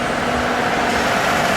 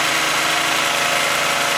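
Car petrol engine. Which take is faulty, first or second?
second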